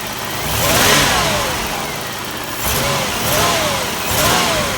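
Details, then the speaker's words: Trofeo with 3300 V6 after sitting over a year on old fuel, cold outside, typical 3300 tick, coolant full, oil dirty but not milky: revs climb in stumbling surges with heavy smoke on acceleration; rough acceleration, cause unknown. "It's not a smooth acceleration like it used to have."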